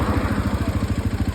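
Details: Hero Xpulse 210 at about 3,293 km, shortly after a cold start, owner also reports an engine oil leak: low, lumpy pulsing beat with coarse chuffing at idle; abnormal engine noise, cause unclear.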